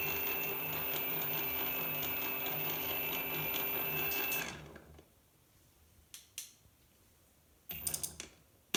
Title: Bafang BBS02 750W strange noises